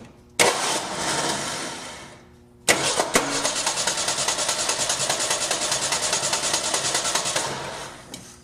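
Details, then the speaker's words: 1986 Ford Ranger pickup: two cranking attempts give fast, uneven chugging that never catches, with the starter not kicking in properly. Diagnosed as a bad starter, to be replaced. "nothing well at that rate there's not a question in my mind that we got a bad starter so you guys could hear that noise it wasn't kicking in right"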